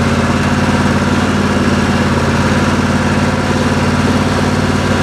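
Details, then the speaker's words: Craftsman LT1000 lawn tractor with newly fitted 27 HP V-twin engine and electric fuel pump: steady, even idle with a smooth low pulse, no knocks or misses; normal idle. "The lawnmower now runs like a champ, starts right up, and so at this point I have a 27 horsepower V-twin engine in this Craftsman lawnmower, and it goes just fine."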